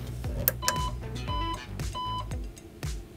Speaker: if the device is experiencing under voltage you will hear three